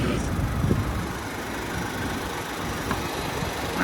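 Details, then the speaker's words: 2022 Chevrolet Silverado 4WD with 96,000 miles, heard at the open hood: steady, even idle with a soft low rumble and no knocks or ticks, just a mild vibration; normal idle. "it's got a little bit of a vibration in it. But other than that, it sounds good."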